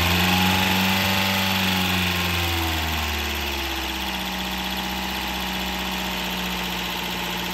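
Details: Toyota Corolla 2ZR-FE 1.8L engine, freshly rebuilt and installed, first start: revs drop from a higher fast idle within three seconds, then hold a smooth, even, steady idle hum; normal.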